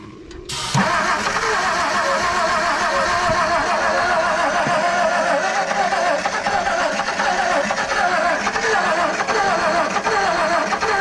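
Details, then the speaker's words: 1959 Edsel Ranger, last tagged 1973, first start attempt in 30+ years with new Blue Streak coil and some fuel: long steady crank with uneven catching and sputter, fires a bit but never idles; excess Mystery Oil suspected, points to be rechecked. "red yep she ain't firing no differently than she was before we got too much Mystery Oil that we ain't getting out of it yet"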